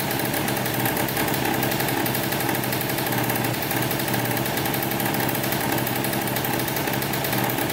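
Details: 2003 Polaris Sportsman 90cc two-stroke ATV after a new top end (piston, cylinder) and oil pump, run with the oil line off to check pump feed. Steady, even idle buzz with no misses, knocks or surging; the pump was confirmed working and it runs smoothly.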